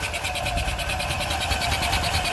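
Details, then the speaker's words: Isetta microcar engine just started with fresh oil: steady running with fast high-pitched ticking clatter about nine per second around the carburettor, not thought normal; cause not pinned down. "okay we got we got a runner I understand carburetor I don't think that's normal"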